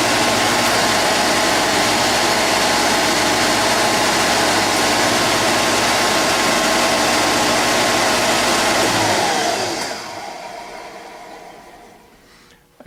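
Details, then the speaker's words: Rebuilt GM 10SI alternator on tester, full amperage output check after 14–15 V reading: loud steady whir with even hum, no knocks or grinding, smooth spin-down; healthy under full load, ready to install. "Now we're going to check the full amperage output."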